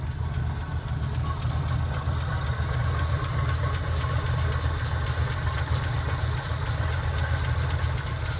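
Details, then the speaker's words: Chevy K10 pickup, 5.7L V8 small block, recently bought: even low idle with a faint quick tick following engine speed, judged not normal; sounds like valvetrain noise, possibly worn lifter or rocker, cause not confirmed. "mais le tic-tac n'est certainement pas normal"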